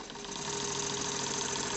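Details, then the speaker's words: JLS 13-2 model twin-cylinder live-steam engine with Stephenson valve gear, tested on compressed air after a loose screw that had jammed it was tightened; quick, even exhaust beats, no knocks, running superbly at very low pressure (from about 200 g). "donc elle tourne superbement à l'air à des pressions très faibles"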